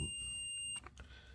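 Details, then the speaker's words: Multimeter continuity test on the switch of a Craftsman 115-volt bench grinder; a steady high beep lasting almost a second shows continuity in both switch positions, so the switch is shorted. "there it is. You could hear it beeping. And if I throw the switch to the other side, it's doing the same thing. Okay, so this switch is definitely shorted."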